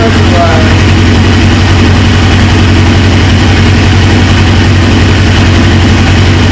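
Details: 1999 Suzuki GSX-R 750 four-cylinder with a newly installed used engine: steady idle with an even low rumble and no misses or rattles; it starts and settles well, but the tank's fuel-line quick-connect leaks, owner suspects its O-ring.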